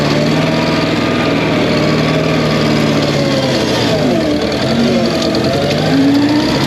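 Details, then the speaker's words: Massey Ferguson skid steer with revived, once locked-up Wisconsin 30 HP engine, running on old gas in the tank: loud steady even beat; runs good, though owner wonders if it is slightly missing. "what old hand not runs good I think it's missing or it just sounds like that I can't believe it's running on the gas in the tank"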